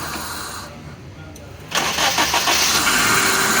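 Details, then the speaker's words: Suzuki Liana that needed long cranking to start when cold: after fitting a relay to feed battery current to ignition (low current had weakened ignition while cranking), brief crank catches at once into steady idle; quick start, fault cleared. "ये अल्हम्दुलिल्लाह गाड़ी हमारी clear है।"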